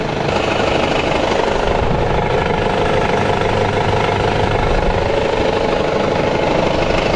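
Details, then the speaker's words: Engine knock: a rough, hammering knock of about two beats a second, deep in the lower end. It seems to come from the flywheel or torque converter area; a balance shaft or another internal part is possible, and it is not belt-driven. Cause unconfirmed. "and i want to say that sounds like it's coming from in here like a flywheel or torque converter"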